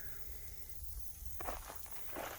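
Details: 178F 7HP Chinese clone diesel, engine off after being worked very hard and running hot: a low rumble with spurts of hissing crankcase pressure from a stuck breather valve. The valve cover gasket blew out and leaked oil.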